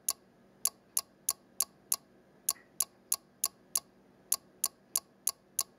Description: Clock displaying time on a single 7-segment digit, with relay noise on each digit change.